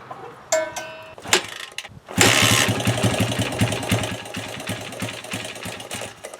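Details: 1996 Honda XR100 after sitting two years, carburetor refilled: a couple of kicks, then the single catches at once and settles into a quick, even putter; normal start and idle.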